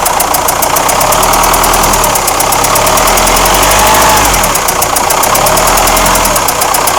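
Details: Renault Espace 4 2.2 dCi diesel at idle with a sharp, even tapping about four times a second riding over it; engine knock, cause not yet pinned down.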